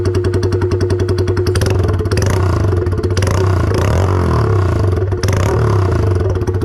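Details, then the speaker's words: 2022 Honda Grom single-cylinder with an exhaust whose hangers all broke, and a backfiring tune. Loud, choppy idle with a metallic clatter on every firing pulse from the loose exhaust; it is to be swapped. "like every hanger on the thing broke off could be my fault i had that uh eraser tuner where it backfires and um blows flames out but yeah so it ended up getting really loud and really annoying rings my ears"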